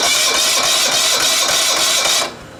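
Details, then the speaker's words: Rebuilt starter on a 1980s John Deere RX95 mower with a Kawasaki FV460V, cranked off a car battery: fast whirring crank with a harsh metallic rasp on each turn. The starter teeth sometimes fail to catch the flywheel properly. "the teeth are having trouble catching on the flywheel where they're supposed to sometimes when I click it you'll notice the teeth right in here they'll they'll catch properly but other times they don't seem to want to"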